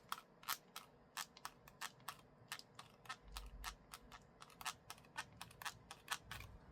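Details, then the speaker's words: Creaking plastic joints on a MagSafe selfie-stick tripod: rapid, irregular clicks and creaks as it is shaken, from the joints and handle. When walking with a heavy smartphone mounted, it wobbles and the noise ruins recorded video audio. "들리시나요?이 플라스틱 삐걱거리는 소리. 와, 얼마나 열이 받습니까? 그니까 골고루 여기저기서 삐걱삐걱 소리가 나는 거예요."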